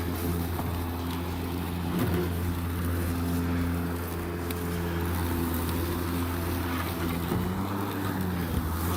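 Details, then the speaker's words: Ryobi 40V 20-inch electric lawn mower after 4 years' use, chewing up leaves and roots: steady low motor and blade hum with slight dip as it bites in; smooth, even, healthy running under load. "so just listen to that that's roots some hardwood flooring that i was using long story how it ended up here"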